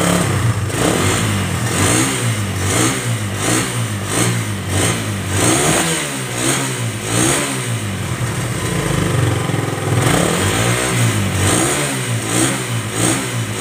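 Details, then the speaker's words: Suzuki Satria FU 150 carbureted motorcycle after carburetor service for fuel flooding: repeated clean throttle blips, revs rise and fall crisply to a steady idle without stumbling; normal revving, as flooding would make idle abnormal. "Ok sekarang kita hidupkan nah normal dia ya dia kalau banjir itu langsamnya tidak normal Ya tapi kalau dia nggak banjir Dia normal ya"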